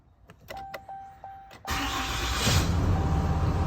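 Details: 2020 Ram 2500 Cummins diesel after oil and fuel filter change: dash chimes, starter catches, settles into low steady idle with even clatter; sounds healthy.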